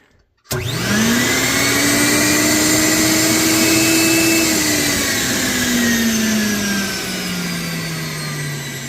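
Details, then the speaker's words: Air Vac central vacuum motor after bearing replacement with SKF bearings: motor whines up to a smooth steady pitch within a second, then eases slightly lower and runs evenly with no grinding or rattle; normal running. "here so that sounds a lot better than it did um I didn't get a before sound but anyway that's how you can fix these old units"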